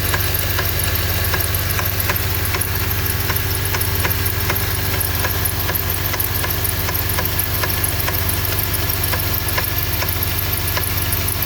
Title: Honda k24 strange knocking noise